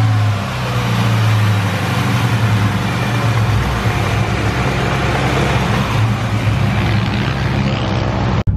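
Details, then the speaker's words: 1999 Mustang GT with Mark VIII/Cobra engine swap on quarter-mile pass: loud engine breaking up hard, rough and stumbling under load; misfire, code P0320 thrown, owner suspects broken coil or coil wires or injector. "my guess is a coil coil wires might have just broken because it is breaking up hard it sounds like smart blowing so we'll figure it out"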